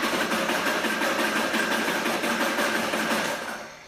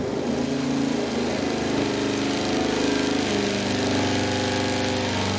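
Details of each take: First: V8 with points ignition cranking on the dyno while dwell is measured, reading 30 degrees (spec 28–32): steady starter churn at about three beats a second with even compressions and no hesitation; normal cranking. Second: 514 cubic inch big block Ford V8 on the dyno under load: runs rough with a ragged stumbling beat and violent shaking, worst ever seen; severe misfire under load.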